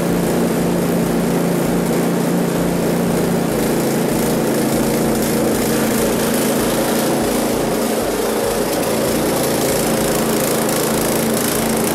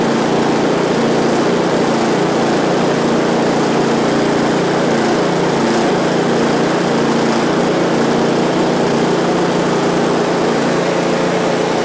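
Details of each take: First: One-year-old Husqvarna ST224 snowblower, fuel left in over winter, before carb cleaning: the small single-cylinder engine hunts up and down in speed once the choke goes from halfway to off. Surging, suspected from stale fuel in the carb, not confirmed. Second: One-year-old Husqvarna ST224 snowblower that ran poorly after fuel was left in over winter, after fuel system and carburetor cleaning, full throttle, choke on: small single-cylinder engine buzzing at a steady speed with no surging or hunting; normal running.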